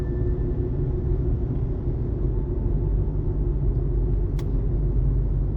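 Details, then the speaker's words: 18-year-old 2006 JDM Toyota Estima after replacing front sway bar end links, driving over bumpy cracked pavement and a sewer cover: steady low road rumble, no clunks or knocks; suspension noise fixed. "And so far, if I drive over that sewer, nothing. Don't hear any funny noises anymore. That's what it was."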